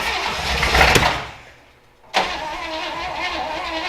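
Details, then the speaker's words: Willys Jeep Wagon after 10+ years sitting, fed gas into the carburetor: cranks and fires roughly, dies, then cranks without catching; timing issues suspected, firing order checked. "hold on a second i'll give you a little more sounds like you've got timing issues let's run through some firing order real quick"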